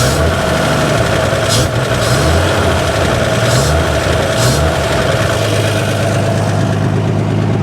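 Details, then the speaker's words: Abandoned 1955 GMC truck with 350 and Hydra-Matic, first run in over 30 years, good oil pressure, brakes not working: deep, steady rumble at a light rev, even firing with no knocks or misses; a little smoky but runs good. "she is a she's a little smoky a little smoky but uh this is the most this thing is run in guaranteed 30 years so she runs good"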